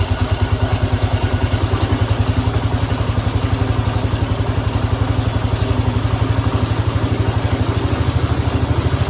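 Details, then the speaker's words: Cub Cadet 106 after an oil change: small single-cylinder engine puttering at a steady, even beat around ninety pulses a minute with no knocks or misses. Test run before rechecking the oil. "All right, now that we have oil in it, we can fire it up. We'll let it run for a little bit, check the oil, because oil has to get up all into the motor because there's the valves that has to get, the oil has to get in the valves."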